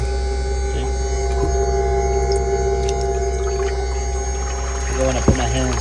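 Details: VMP ice tank electric coolant pump on supercharged 5.0 S550 Mustang, new pump temporarily rigged with water flowing: steady even hum, constant pitch, no grinding or rattle; runs smoothly with better flow.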